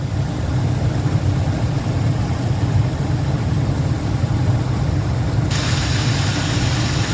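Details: 2004 Lincoln Navigator V8 warming up after 5/8 coolant hose replacement and antifreeze refill, something burning off: deep, steady idle, even low rumble, no misfire stumble or knocking; running good, normal idle.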